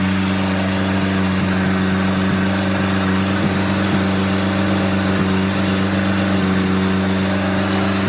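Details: Junkyard 1984 2.2L Chrysler turbo engine from a Dodge 600, running on an engine stand with a Holley HP ECU after fire damage, distributor modified, injectors tested and fuel rails cleaned. Steady cold fast idle near 2000 rpm; oil pressure questioned as possibly low. Normal fast idle.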